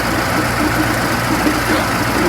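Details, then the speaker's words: Transit Liner bus diesel idling: a rough, gravelly grind rides over the steady idle, constant at this speed, from worn bearings and gears in the fan drive bevel-gear mitre box, with the belt also sitting deep and touching. "Hear that fan hub though? That belt has actually been touching my mouth. That gearbox for the fan? I'm not gonna like my answer, but I think that's the mitre box."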